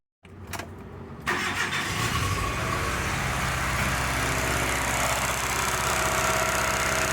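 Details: 2005 Hyundai Matrix that arrived with a cylinder 2 misfire (P0302), low compression from worn rings, and injection faults: after diagnosis and injection corrections, the engine catches after a short crank and settles into a smooth, even idle.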